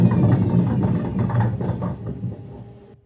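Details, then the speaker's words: Gorenje washing machine on spin: dull heavy rumble with a metallic edge as the drum turns, the first sign of worn drum bearings. "первый признак разбитых подшипников - это глухой металлический звук превращение барабана"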